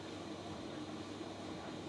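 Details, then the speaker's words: Newer-model Electrolux 7kg clothes dryer after a drum belt replacement, drum still turning clockwise when a reversal was expected: a steady, even rumble and hum with no knocks, scrapes or squeals; tumbling smoothly. "Is it going to go in the other direction? No, look at that. It's going in the same direction. It's going in the clockwise direction again. That is really weird."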